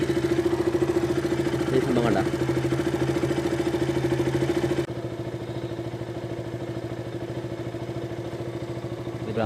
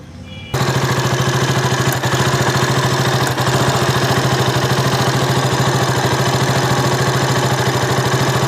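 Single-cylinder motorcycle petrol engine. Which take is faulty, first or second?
second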